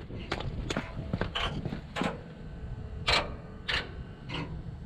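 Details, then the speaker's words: Kenworth T800 dump truck with ISX15 Cummins after NOx sensor replacement: uneven light clicks about one to two per second over low rumble while key is cycled three times to reset codes, normal signal-read self-check chatter. "you hear them clicking it's doing a signal read and all that when you cycle that key"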